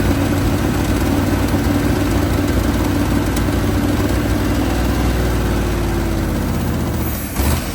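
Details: 1980 Chevrolet Sierra Grande K1500 truck that sat 22 years, just revived with a new distributor and tensioned belts. Low, slightly uneven V8 rumble holds steady, then dies away. Running idle, not yet fully smooth.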